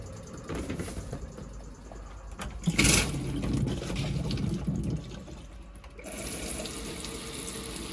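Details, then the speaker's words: Cheap neglected motorhome bought off eBay: steady rush of water from the tap with faint pump hum underneath; hot water nice and warm, flow normal, all working perfectly. "That's nice and warm as well. Bit cold on there for a bit more power. That's all working perfect."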